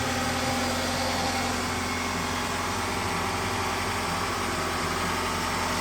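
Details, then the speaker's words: Toyota 2.4 L engine (Tarago/Previa/Estima) after coil pack and spark plug replacement: steady even idle hum, no skips or stumbles; not missing, runs smoothly. "And you can start it up and make sure it runs. And it's not missing, and it sounds"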